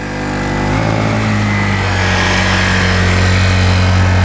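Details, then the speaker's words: Honda 1000-watt portable generator already carrying two 500-watt lights when a third light is added; the engine drone drops and labours, then eases off. Overload trips the circuit breaker. "kicked the circuit breaker on this honda we've kicked the circuit breaker on it"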